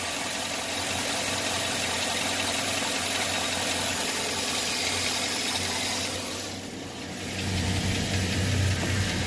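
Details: 2009 Chevy Silverado 5.3 LS V8, engine rebuilt at another shop, idling: light, fairly regular ticking about three to four per second, lifter noise on the driver's side, head to be removed to replace the lifters.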